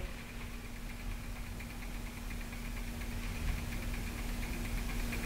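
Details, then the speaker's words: Sky-Watcher AZ-EQ Avant mount during tune-up, after setting correct RA motor drive tension (overtight tension caused binding): quiet, steady, even whir with no straining or catching; motor rotates RA axis freely without jamming, normal drive operation. "now we've got the correct tension on that motor drive so as you see there we've got no binding the motors Fritz is the motor is rotating the re axis and it's not jamming the motor"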